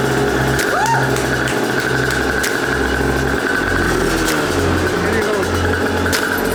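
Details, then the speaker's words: Aprilia RS 125 two-stroke barn find, 1:40 premix, first run in years after fixing carburetor fuel leaks: steady, even buzz at constant pitch with no sputter or surging; engine runs cleanly. "all right you guys run after five years foreign it works again"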